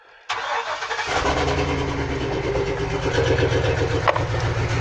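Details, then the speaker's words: 2003 Chevy Silverado 2500 6.0 V8, P0300 random multiple-cylinder misfire code: engine settles into uneven idle with irregular stumble in exhaust beat while plug wires are pulled one by one to find the missing cylinder. "now what we're gonna do is while i'm plugging the cylinder like this well that cylinder really ain't doing the oven that cylinder is hit that cylinder is it"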